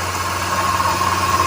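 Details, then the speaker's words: Volkswagen engine running, stethoscope on the accessory belt components: a steady thin whine over the engine hum, traced to the bad bearing of the upper pulley. "ó achei é esse daqui ó é esse daqui que tá com barulho galerinha"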